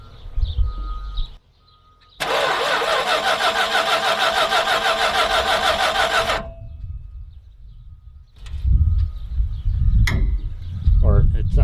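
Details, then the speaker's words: 1967 Dodge Charger 383ci V8 cranked by jumping the starter relay; fast, even chug for about four seconds, then drops off and stumbles; starter seems to stay engaged (pushed out), cause unclear. "try it this way starter's engaged I can hear it"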